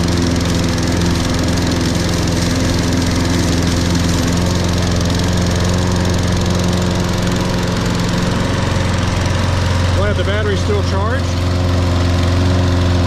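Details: Toro Recycler 22-in model 20334, 190cc engine, electric start, auto choke, just after a January cold start after sitting some time. Steady, even drone with no stumbles or knocks; healthy run once it fires.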